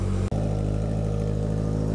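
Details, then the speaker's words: 1981 Yamaha XS1100 Midnight Special four-cylinder, after cleaning plugged idle (pilot) jets, warming up: smooth, even idle, steady low pulse, no misses; previously only ran on choke. Normal idle. "so now we're off we're off choke completely it's running well idling well"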